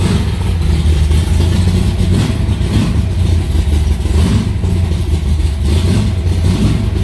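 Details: Alumacobra (Cobra) V8 started in the garage after two months unused, to circulate oil; it fires right up with a loud, deep burble, strong low rumble, even pulses and light revving, no knocks or misses. Normal cold start.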